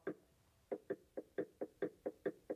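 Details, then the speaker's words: 1966 Triumph Spitfire differential rebuild, ring gear rocked by hand after shimming, bearings torqued. Crisp light clicks about four a second with noticeable play (about 6 thou); backlash not fully consistent but within spec all the way around. "so it's not incredibly consistent all the way across but it is within the spec all the way across"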